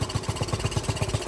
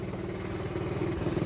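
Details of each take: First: Dirt bike single-cylinder idling with fuel mixture screw fully closed; slow steady thumping, engine keeps running instead of dying, showing the pilot circuit is too rich and needs a smaller pilot jet. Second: Pit bike/dirt bike carburetor after air/fuel (pilot) screw adjustment: even, steady putter at idle with regular pulses and no misses or clatter. Normal smooth idle.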